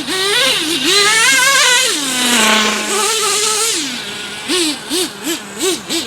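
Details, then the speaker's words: Traxxas T-Maxx 3.3 nitro RC truck after 8+ years stored, very cold out: crisp responsive revs in quick blips, no sputter; ran a full tank great, still pulls wheelies. "they start it up and it runs damn near perfect snow after spins all four tires just second gear like like it's brand-new"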